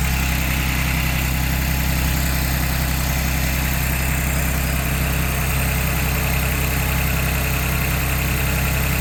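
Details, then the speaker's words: 2022 Ford Bronco Badlands 2.7L EcoBoost cold start in a garage, hood open: fast high cold idle with steady light ticking from injectors and high-pressure fuel pump and faint transmission whir; normal cold start idle. "so you can hear a little bit of whirling coming from the transmission and you can also hear that loud ticking we were talking about and some of that's the injectors and some of that is actually the uh high pressure fuel pump here"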